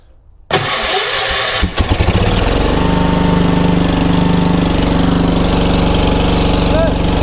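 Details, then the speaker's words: 1980s ORVCO Transtrack UTV, started using the choke: brief crank catches quickly, then settles into a steady, even idle with no knocks or misses; sounds healthy, normal start and idle. "Oh, she's got a good kick as well. Oh, that sounded pretty healthy."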